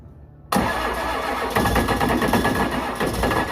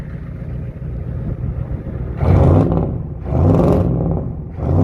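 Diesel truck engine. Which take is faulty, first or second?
second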